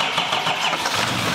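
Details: 2021 Duramax Silverado 2500 diesel rebuild, first start after fuel lines, fuel and oil were added and fuel was primed: brief, even clatter as it catches and settles, no knocks or misses; healthy start.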